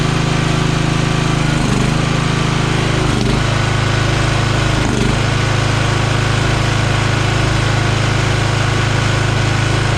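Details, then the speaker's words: Free Craftsman riding mower after swapping out a flooding carburetor and a minor air-fuel adjustment, air filter and box not yet fitted; steady single-cylinder drone holding speed with three brief dips in ten seconds, runs well, slight surge. "But you guys can hear it's running good now, and just a little tweaking, we'll have that surging figured out."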